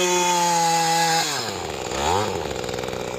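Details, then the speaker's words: Mantis tiller two-stroke after new piston and carburetor cleaning, during easy break-in: smooth steady buzz at light even throttle, then winds down cleanly at shutdown; normal running. "Wow, that was really good. Very happy with that."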